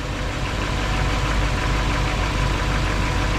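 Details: 1959 Chevy Bel Air with a direct current generator, not an alternator, runs at a steady, even low idle with no knocks or misses; charging test reads 14.65–14.83 V with normal ripple, charging system normal.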